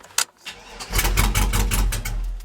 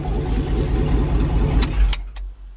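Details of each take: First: Old GM truck with 4L80E, start attempt after fiddling with a wire: starter cranks in quick bursts, engine fires about a second then dies; cause is the non-functioning Passlock/VATS anti-theft system, later deleted with HP Tuners. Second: Old truck with 6.0 L engine and 4L80E after VATS anti-theft deleted via HP Tuners: engine cuts out briefly, then catches and settles into steady even idle; starts and runs normally.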